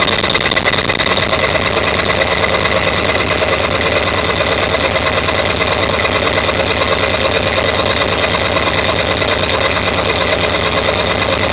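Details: 1999 Ford F350 7.3L diesel, cold start after sitting for days, plugged in overnight, no check-engine light: loud clattery idle with a beat about three pulses per second, rough and shaky; cause unknown.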